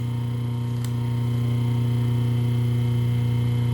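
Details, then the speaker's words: Rewound three-phase motor on 220 V single-phase mains with a permanent capacitor, delta-wired, running counterclockwise as current is checked on one phase; steady low even hum, no knocking or growl: normal running. "Tá rodando sentido anti-horário, tá? Vamos ver a corrente aqui numa das fases."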